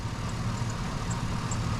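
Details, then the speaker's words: 2005 GMC Sierra with new exhaust, well maintained, idling: low, even, steady rumble with no knocks or misses, plus a slight belt chirp; owner thinks it may need a belt. "sounds really nice I think it may need a belt I hear a little chir from the belt but this thing runs like a dream"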